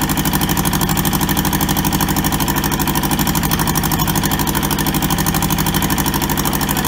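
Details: Toyota SDK4 skid steer diesel, restoration project, running after first successful start; steady even idle with regular deep chug, no knocks or misses; runs cleanly.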